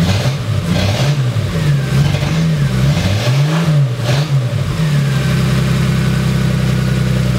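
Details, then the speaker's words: 1980 Toyota Supra barn find, unstarted for years, fresh battery: uneven blips then a loud, raw, slightly rough idle; loud because the catalytic converter was stolen. "well it sounds like we got a little bit of a mess but it may just be may clear up after we drive it for a while reason that so loud is the guy we bought it from he said he had it sitting out on the street and somebody actually climbed under it and stole the catalytic converter"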